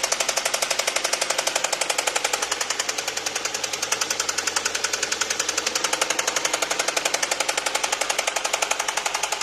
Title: HYUNDAI SONATA 2021 ENGINE KNOCKING SOUND| 6955 KM MILEAGE ONLY #HYUNDAI #ENGINE #KNOCKING